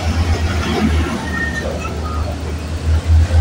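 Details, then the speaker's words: Yamaha Mio M3 scooter after head rework, rebore and Honda Vario 125 oversize 50 piston fitted: engine idles evenly with steady low thrum, light throttle blips, no knocks or rattles; runs smooth. "nih motor hidup dulu ya dan mesinnya halus kita gas-gas sedikit dan di sini tidak ada perubahan ya untuk di suara mesin masih oke oke mantap ya"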